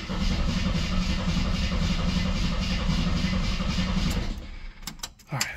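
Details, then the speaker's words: Long-sitting 1972–74 AMC Gremlin, cranked on ratty starter, spark unverified: starter turns engine briskly and evenly about four beats a second, no dragging; normal cranking speed. "she sure sounds really healthy cranking over although normally I verify that it actually does indeed have spark which I haven't at the moment"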